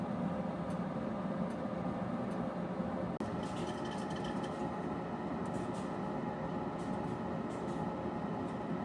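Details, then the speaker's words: Harman P61C pellet stove, owned three years, used as sole home heat; steady whooshing fan roar over a low hum with faint light ticks now and then. Normal running. "All right, number three, the noise factor. I'm going to stop talking for a minute and let you hear what this thing sounds like."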